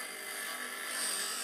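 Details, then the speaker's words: KEF Slibette 8 drill grinder: diamond dresser loosened to slide side to side, fed forward with the finger nut and swept across the stone until contact is full, giving a steady high abrasive hiss over the wheel's whirr; normal wheel dressing. "Now you can see that it's really taking off. And when you have a good contact all the way through the stone, now we have a good contact through the stone."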